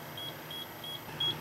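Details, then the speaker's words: HydroKnowz hydrogen sensor monitoring sealed, vented box of charging 48 V lead-acid battery strings: short high beeps about three per second over room hum, hydrogen past 1% (10,000 ppm) set point; alarm sounding. "And right here is the alarm that's set. And right now we're at basically 1% a little over 1% it's 10,000 and that's uh 1% of hydrogen and as far as volume with respect to air."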